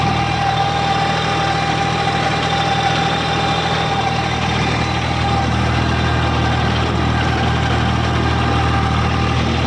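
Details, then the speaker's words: Eicher 557 tractor with PTO engaged on a rotavator, lowered into the soil: steady diesel drone with an even droning hum from the dual clutch, which is noisy from start-up; engine otherwise sounds fine, no knocks. "अब जो ये घूंघ की आवाज सी आ रही है ना तो ये भाई इसकी ड्यूल क्लच की आवाज है। बाकी इंशन का साउंड सुनो आप। ठीक है। इंशन का साउंड बिलकुल बढ़िया है।"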